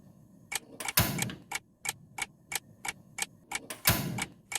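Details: Gas stove after cleaning clogged burner of dirt and scale: sharp, crisp igniter ticks about three per second with soft whooshes as burner catches, repeated lighting; flame now full, healthy ignition.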